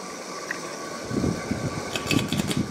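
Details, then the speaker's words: Cheap, dusty ceiling fan, likely a Kmart, also running in reverse: a steady hum, then an uneven rumbling knock with scattered rattling clicks that worsens from low to medium to high; bearing noise. "start gonna start to hear the bearing noise it gets worse though let's go to medium yeah so we're gonna have to get that fixed"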